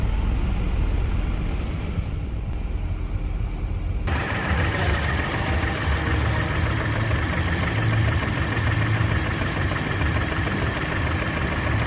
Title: Mini MISFIRE ⚡️ spark, coil, valve ? #garage #repair #tools #fail #cars #automobile